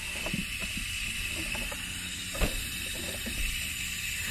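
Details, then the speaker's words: Hunter sprinkler valve with the controller fully off: a steady high hiss of water still flowing, with small clicks; one of two valves is leaking, with the solenoid or diaphragm suspected; the valve isn't sealing. "so the water is flowing and you can probably hear the water still hissing"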